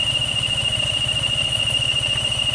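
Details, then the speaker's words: Yamaha Sniper 155 FI motorcycle idling with oxygen sensor error stored: constant high-pitched squeal at one fixed pitch over the idle from the water pump; found a damaged water pump oil seal, replaced. "pero ang ihang oil pump water pump niya nagsigi panaghoy"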